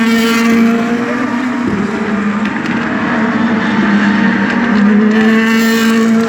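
High-revving V8 note wavers and drops out unevenly with stuttering breaks in the tone, pointing to a misfire.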